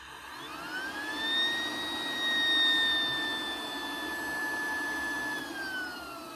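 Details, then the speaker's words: Road-drying blower with new bearings: clean, steady whine that rises, holds and falls with speed, with no grinding or rumble, showing normal healthy bearings. "This is how new bearings sound like."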